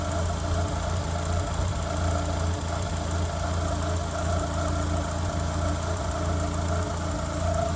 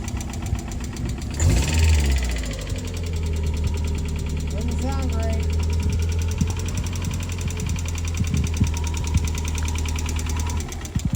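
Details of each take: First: 1993 Mazda Miata with over 200,000 miles, sat about a year as a no-crank, now running after electrical work (a relay is suspected weak): an even, steady idle with a smooth low hum and no misses or surging. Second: 1993 Mazda Miata, over 200,000 miles, just revived after sitting nearly a year as a no-crank no-start (fresh gas): engine settles into an uneven, lumpy low idle with irregular beat; rough running, cause unconfirmed.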